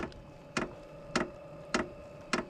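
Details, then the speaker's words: SILVEL 12 V diesel heater, just reassembled and switched on, ramping toward maximum speed: sharp, even ticks a bit under twice a second over steady fan hum as the fuel pump kicks on; normal startup. "that's the pump kicking on it's going to start getting to be a little bit louder"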